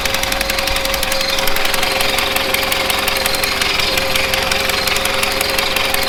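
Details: 1970s Bolens QT16 garden tractor, sitting unrun for quite a while, started on old gas gravity-fed to the carburetor, about half choked: uneven idle with a loose irregular rattle and wavering beat, not firing cleanly; carb needs cleaning out.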